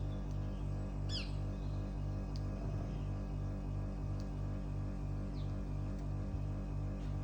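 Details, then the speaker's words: Mitsubishi heat pump outdoor unit idling about 2 minutes after completed defrost, tubes clear, doing nothing: steady low electrical buzz with slow regular pulse, getting louder, after a big bang; far louder than refrigerator-level dBA, cause unknown; loud buzzing at idle. "It's just sitting there and buzzing. So it's now been doing this for another minute. Now been sat idle for 2 minutes."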